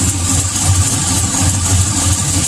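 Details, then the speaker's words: GM V8 truck with long tube headers idling: slow, rhythmic tick over the rumble, worse on the passenger side, from a leaking header primary due to poor aftermarket gaskets; exhaust manifold leak tick, fix with OEM gaskets. "if you're not sure if you have a valvetrain tank or exhaust tick this is 100 a header exhaust leak from one of the primaries"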